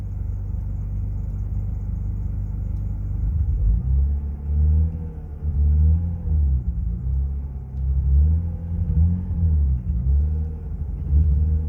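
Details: Turbocharged, otherwise stock BMW M54B25 with new head gasket and bolts, run on 1 bar boost with stock fuel pump and lean 18:1 AFR: idle and blips with deep rhythmic knock; owner suspects piston slap or head/lifter/valve issue, knock sensor detects little.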